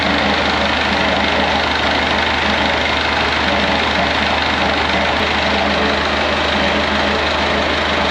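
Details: Perkins AA35001 marine diesel in a steel sailboat under restoration, first start after almost a year and winterizing: steady, even diesel clatter at idle with a constant low drone, no misses or stumbles, over cheering; runs healthy, cooling water flowing, some smoke seen.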